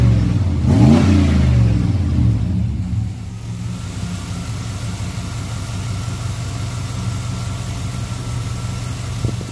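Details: Truck with a newly fitted TBI throttle body, warming up: a quick blip rises and falls cleanly, then settles into a steady, even low rumble at idle; exhaust sounds healthy.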